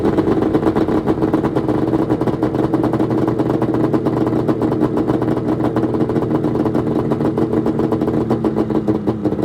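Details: 1996 Arctic Cat ZRT 600 two-stroke snowmobile after fuel pump rebuild, cold start on tripod: crisp, buzzy, rapid even firing with no misses or stumbles; normal running.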